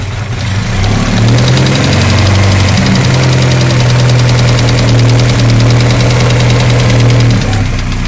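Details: VW GTI petrol engine revving up and holding, with a rapid light knock ticking over a steady low drone. Cause suspected, not confirmed.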